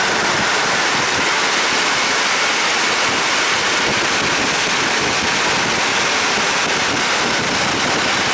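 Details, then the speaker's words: Old Chrysler van HVAC blower, new aftermarket blower motor just fitted, running at full speed drawing 25 amps, same as the old motor. Loud even rush of air, steady pitch, no squeal, ticking or grinding; blower normal, so only the resistor module needs replacing. "25 amps well maybe we're not replacing the blower motor uh I guess that's normal amperage in this case"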